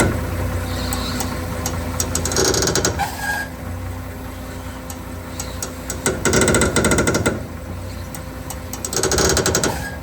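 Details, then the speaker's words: XC grinding when the steering wheel is turned, started after a long drive: engine idling with harsh grinding bursts on each turn; steering idler arm grinding, owner suspects dust got in. "XC getting worked on. And that's because when I turn this car, it makes horrible grinding noises."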